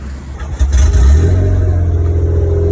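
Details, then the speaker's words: Truck test-fired after refitting the wastegate, previously leaking, checked for leaks: fires and settles into a steady deep even run with no hiss or chuff from the wastegate; sounds good and making boost. "all right guys the wastegate's on sounds good making boost"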